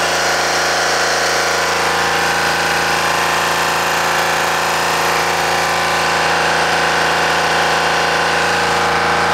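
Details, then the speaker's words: Deutz 3-cylinder diesel, previously hard-starting early mornings, idling after a gravity-fed fuel tank modification: steady even clatter with no stumbles or hunting; normal idle. "now it's okay, guys. Before, too much problem, guys. Very headache for this. Now it's okay."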